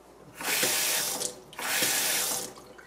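Water gushes from a kitchen tap twice with no squeal from the handle; the faucet operates quietly.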